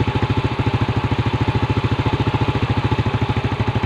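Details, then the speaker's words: Yamaha Vega R New single-cylinder carburetor engine (hard morning starting, weak pull) during carb service, air screw being adjusted: fast, thin, dry putter about 3.5 beats a second, idle sagging; mixture set too lean. "ini kan kekeringan Masbro jadi turun nih gas nya Masbro ya kita naikkan lagi satu"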